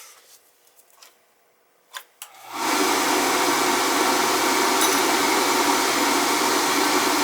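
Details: NTI boiler with Riello burner, whose head showed heavy carbon: a few faint clicks, then the burner lights with a sudden steady roar of blower and flame that holds even. Clean, normal firing.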